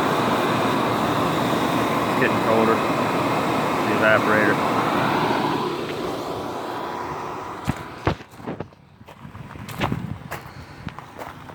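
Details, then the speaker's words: 1978 Kelvinator 7900 BTU window air conditioner, model S208P1QA, Tecumseh compressor, on high fan and blowing cold: steady, even blower rush over a low compressor hum, then quieter; normal running. "High fan. Makes some noise on high, but it ain't that on low."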